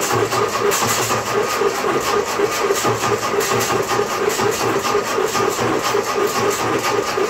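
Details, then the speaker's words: M151A2 military jeep, Ford 141.5 cu in engine stored 20 years, first revival: runs lumpy and uneven with loping beats about twice a second instead of smooth idle; ignition timing too far advanced, backing it off helped a lot. "I'm back the timing off a little bit more. That seemed to help quite a bit."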